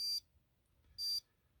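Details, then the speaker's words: Norcold 1200 LRIM four-door RV absorption fridge connected to 120 V shore power, switched on in automatic mode. Two short high beeps about a second apart in a quiet room as it flashes the no-AC code. "if i hit just the on button and let it go automatic watch what happens it's looking for ac it's looking and wait flash no ac"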